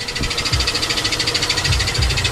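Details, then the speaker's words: Acura 3.5 RL petrol V6 idles with a rapid, even tick about ten per second that has worsened over time. It seems to come from the back of the engine; the owner suspects a spun rod bearing, not confirmed. "And I'm getting some kind of tick, tick, tick, tick, tick, tick, tick, tick, tick. I just want to know if anybody knows what it might be."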